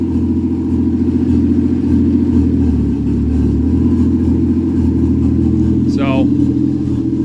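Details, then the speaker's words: Nova with swapped Toyota 1JZ engine being tuned lean toward nominal AFR: steady idle with occasional stumble and uneven beat; intermittent misfire hiccup traced to ignition wires disturbed by the owner, fixed. "Keep at it okay long story short found some problems with wires that I had messed with my fault I got that uh went through several iterations of did this do it no did this do it okay that's better"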